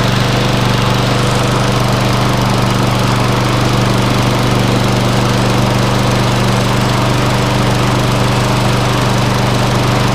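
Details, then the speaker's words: Viking MB545VR lawnmower, Briggs & Stratton engine after bent crankshaft replaced with one from a 19-year-old Hayter Harrier donor: steady, even single-cylinder drone with no knocks or misses; runs smoothly. "yeah it looks fine looks fine guys for me sounds like a perfect"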